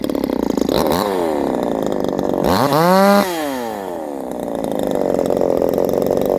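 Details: Modified Chinese 62cc chainsaw, highly modified cylinder: revs hard to a thin screaming high pitch at full throttle, then falls away; slightly lean, high-speed mixture richened afterward.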